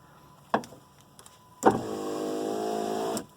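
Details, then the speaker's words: 1987 Mercedes 300 SDL power window after greasing the window track: a click, then an even motor whir for about 1.5 seconds that stops cleanly with no binding or grinding: normal operation. "let's see how that operates there oh yeah that's perfect"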